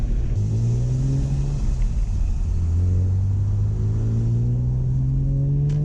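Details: BMW E46 M3 inline-six after a VANOS rebuild and valve adjustment. A smooth, even note climbs and settles cleanly through a couple of revs with no rattle or miss, so running and revving are normal.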